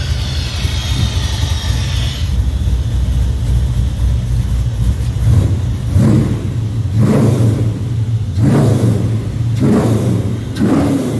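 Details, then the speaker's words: 1981 El Camino LT1 V8 swap with T56 on first run, serpentine belt off, warming up so the headers get hot and burn in their paint. Deep V8 burble with four or five sharp blips returning cleanly to idle; not too loud: normal revving. "it's not too loud it sounds good when you're getting on it so we're gonna let it warm up a little bit until the headers start getting hot and we'll shut them off try to burn the paint"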